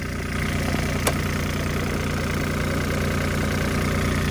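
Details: Used mini excavator diesel, warm after digging: steady low even idle chug with no knocks or misses; little blow-by, crankcase cap not pushed off, indicating good piston seals.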